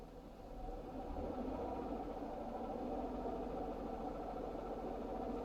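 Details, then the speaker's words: 3.6 Pentastar V6 in a Chrysler Pacifica van: busy, uneven chattering tick over the idle, worsening daily and sometimes shaking the car; dealer diagnosed a failed right-side intake camshaft and lifters/rockers, replaced along with the VVT solenoid. "You hear that thing chattering away? There you go, you get to a point it starts to shake the car a little bit. Kind of comes out of it. So it's getting worse every single day."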